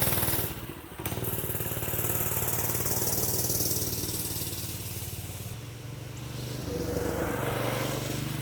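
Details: Predator 212 single-cylinder minibike, which ran but would not throttle up, after reattaching the throttle linkage (suspected improperly installed): steady, even beat as it revs up, then settles back with no misses. Healthy running.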